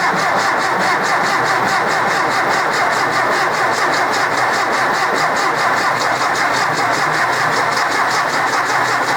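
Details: Rebuilt 1964 Ford 4000 Rowcrop diesel tractor, first start attempt, out of gear with throttle slightly open: even starter churn with steady compression pulses and no firing, from air in the injector lines.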